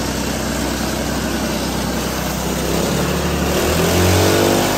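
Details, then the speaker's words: Hydrogen combustion engine running on methanol-hydrogen mix, methanol replacing the usual water injection, idle tweaked; even steady note picking up cleanly on a throttle blip, no misses or stumbles; ran better than the petrol-hydrogen mix. "Okay, so that was the the methanol and the hydrogen mix, and that ran a lot better than it did with the petrol and hydrogen mix."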